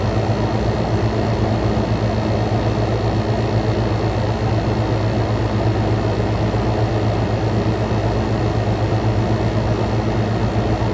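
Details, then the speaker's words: Frigidaire Gallery GHWQ103WC1 10,000 BTU inverter window air conditioner, compressor at full power, heated then ambient intake air, about 44–46° out: loud steady even hum and low drone, no rattles or surging; normal compressor operation at full load. "46 come out0 going in this thing is more t y compressor is at full power got now we're back to ambient going in we got 40 44 coming out"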